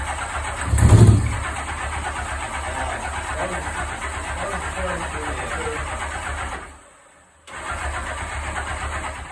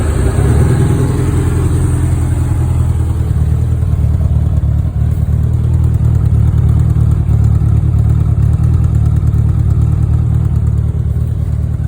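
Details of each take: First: 1984 Honda Goldwing 1200 after new fuel pump install: steady cranking that never catches; fuel reaches the carb line but carburetors won't accept fuel, owner suspects a stuck float needle. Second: 1984 Honda Goldwing 1200, warm, after setting all carburetor float heights and new fuel pump: low smooth even idle, no stumbling or surging; no longer dumping fuel, idling perfectly.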